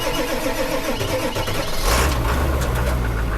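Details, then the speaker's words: Diesel engine just after fire damage repair (alternator rebolted, belt refitted, melted wire casing), glow plugs used before starting: cranks, catches cleanly at about two seconds and settles into a strong, even idle; the alternator is charging and it starts and runs fine. "Oh, look at that, guys. They're running. Hooray! Alternator's alternating. Look at that thing go."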